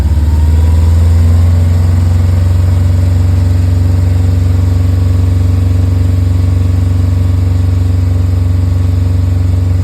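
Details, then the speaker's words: 1974 VW bus with a Subaru engine swap and a belly-mounted radiator: the engine holds a steady drone while the electric cooling fan roars loudly over it; the fan is loud but blowing plenty of air. "yeah you can hear the electric fan she's loud but blowing a lot of air out"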